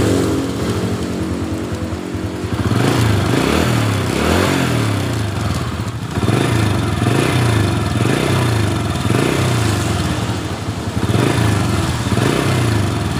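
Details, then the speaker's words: 2007 Honda Supra Fit New after fixing the kletek-kletek cylinder head rattle, suspected cam chain: steady even single-cylinder idle with no ticking or rattle; runs smoothly. "Selanjutnya kita hidupkan. Ya, suaranya sudah halus."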